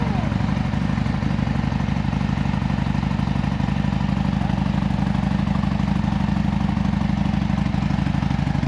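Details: Harley M8 107 at 10,000 miles, rebuilt to a Fuel Moto 124 big bore after suspected oil sumping, with an S&S 475 cam, Fuel Moto Jackpot 2-into-1-into-2 exhaust and S&S Grand National slip-ons: deep, even, lumpy idle thump with no ticking or knocking; normal idle.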